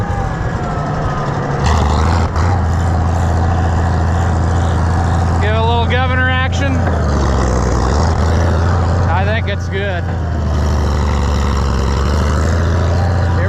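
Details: Oliver 1650 tractor engine after governor replacement and adjustment: deep steady drone picks up and settles right away with each throttle change; governor responding well; engine has a slight tick, old governor pieces may remain in the pan.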